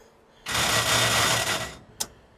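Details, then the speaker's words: Dead car, starter tried again. One harsh, gritty grind lasting over a second, then a click. Starter grinding on damaged flywheel teeth; the car needs a flywheel. "Yep. She needs a flywheel."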